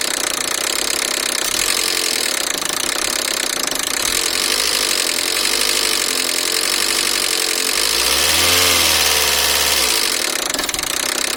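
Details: 2002 Peugeot 307SW 1.6 16V (TU5JP4): a loud, fast, uneven metallic knock about three to four per second. The timing belt (31,000 km, over 5 years old) jumped 2 crank sprocket teeth and the valves touched the pistons; the water pump was leaking. Fixed with a new belt kit and pump.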